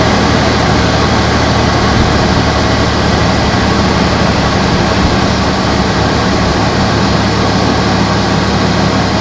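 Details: Toyota T100 truck cold start after sitting more than 7 hours: loud, rough engine drone with steady low hums, happening every time; unidentified noise, owner asks what it could be.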